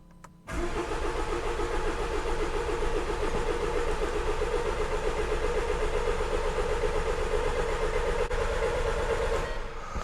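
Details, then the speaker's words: 2015 Jaguar XE Ingenium diesel non-runner: cranking about four beats a second for nearly ten seconds at 250 rpm, fuel pressure over one volt (~300-400 bar), injection timing present, never catches; crank no start. "So to me it looks like it's trying to start this engine."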